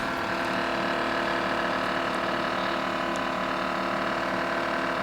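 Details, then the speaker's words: GE refrigerator making a loud, steady whirring drone with a rough flutter as the freezer fan strikes ice built up on the back wall; repeat problem, owner suspects faulty control board, reset by unplugging. "Got a refrigerator making a loud noise. It's frozen up in the back."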